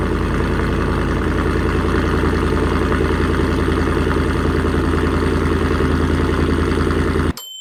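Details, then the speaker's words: 2024 Ford F-150 5.0 V8 on its first cold start after a high-flow catted Y-pipe install, idling: quick regular ticking puff in time with the engine. A joint leak was heard and felt underneath; the owner hopes it seals, then retorque. "I don't hear hear it but when it when you crank it on the cold start you can hear it I got under there and I could feel it so we'll just have to see if that ends up ceiling"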